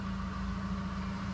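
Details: Ford Focus, 48,000 km, clutch pedal pressed at idle before clutch replacement: steady droning hum with a thin whine above it; a worn clutch release bearing or actuator is suspected.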